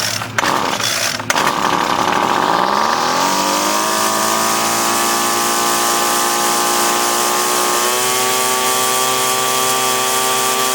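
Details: Featherlite 25cc two-stroke string trimmer with a cleaned carburetor and new fuel lines, started on choke: it catches and settles into a high, slightly wavering buzz. The high and low mixture screws still need fine tuning.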